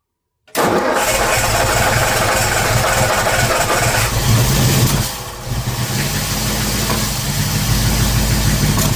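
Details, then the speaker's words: Ford engine with Holley Sniper 2 fuel injection: cranks, catches and runs unevenly with sharp pops and a sag around five seconds; backfiring of unclear cause, owner wondered about too much fuel. "Okay, I'm not sure why it keeps backfiring like that. Or I guess maybe too much fuel."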